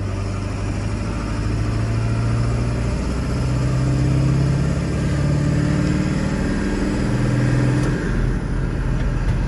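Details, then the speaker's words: Ford 7.3 Powerstroke diesel with a new Banks turbo compressor wheel, in 4th gear on flat ground, accelerating from about 1200 rpm. The deep drone rises smoothly with no bog as the turbo spools up quickly; it previously built boost around 1500 rpm. "But right around this 1200 RPMs, I'll step into it, and we're in 4th gear, flat ground. You should hear it spool up really quickly."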